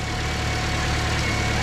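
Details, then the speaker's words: Car with a new alternator, idling with the battery disconnected at about 14–15 V, idle running slightly quicker. Steady, even idle with no stumble or whine: the engine runs fine on the alternator alone. "see these are the world without charging the battery voltage actually 15 watts DC that's why the cars are running a little quicker too"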